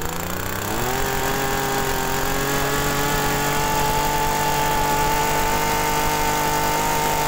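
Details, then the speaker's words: TU26 agricultural sprayer engine with carburettor, complaint of high fuel use, before adjustment: revs climb then hang at a flat strained buzz at full throttle, stalls when throttled down; mixture too rich at high and idle. "Nah di sini menandakan masih campurannya itu dalam posisi tinggi maupun langsam ya maupun idel itu masih terlalu boros"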